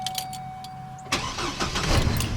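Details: 2006 Chevy Colorado/GMC Canyon with Passlock active, started by the door-open, key-on wait method; a steady chime tone, then a short crank and it catches cleanly into an even idle, normal start.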